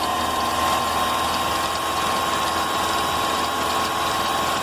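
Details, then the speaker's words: Engine idling with a fast, high, cricket-like chirp from the front accessory belt area; a plastic part may be rubbing the belt or the alternator bearing may be defective; fix involves loosening the upper 13 mm alternator bolt. "esse barulho barulho é semelhante uma cigarrinha um barulho no motor do carro pode ser esse plástico que esteja pegando na correia"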